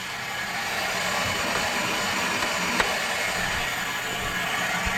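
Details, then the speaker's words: Forged Mazda KLDE V6 race engine, leak-down test on cylinder 1 (60 psi compression): steady hiss of air escaping past the exhaust valves, slightly past intake, none from catch can; head-related, suspected melted piston elsewhere. "On cylinder 1, the exhaust valves are leaking big time and a little bit from the intake."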